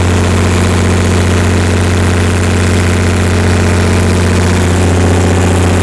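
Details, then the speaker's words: Perkins diesel generator after injection pump reinstall, fuel pump cleaning and new fuel filters, running under about 45–47 kW load at 60 Hz. Deep, steady drone with no surging, knocking or misfire, though governor issues remain. Normal running under load. "all right now we should be pulling 45 kilowatt a little bit more actually 46 47 there you go"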